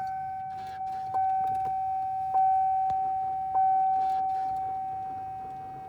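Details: 2004 Cadillac STS no-start after reconnecting battery: steady high electric whir with a few clicks keeps running after the key is released while the engine stays dead; something electrical stuck on.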